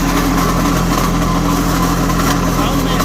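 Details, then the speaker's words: Old light tower generator, sitting for years, first run: steady engine hum with rough scraping rasp from generator end, sparks from that side; owner fears something dropped inside, cause unconfirmed. "something is not happy inside this generator unit hopefully i didn't drop nothing in there but it does run and that's a good sign"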